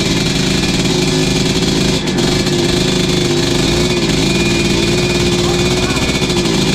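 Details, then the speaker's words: 1986 Tecate 3 two-stroke after fresh top end and rebuilt crank: raspy, slightly uneven fast idle holding steady after ignition advanced past the marks; owner says the 500 carb isn't making it too happy, but it runs. "That 500 carb ain't really making it too happy, but it's running."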